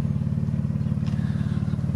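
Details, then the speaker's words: 2007 all-wheel-drive Jeep with under 200k miles, at idle: a loud, fast, even, throbbing exhaust drone with a rattly edge. The muffler is bad and needs replacing; it runs, drives and shifts fine. "well then that'll make someone not like their car right there alone you drive around for a month with a bad muffler and the vibrations that come from it the sound the smells that come in the car good god"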